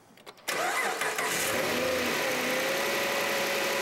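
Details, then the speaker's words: Engine started for a vacuum and oil pressure test: catches right after a short crank and settles into a smooth, steady idle with no knocks; oil pressure about 80–82, vacuum steady around 16, engine in good shape. "you can see our oil pressure is about 80 82 our vacuums dropping a little bit to about 16 this one's in good shape both of them are steady and both have good pressure"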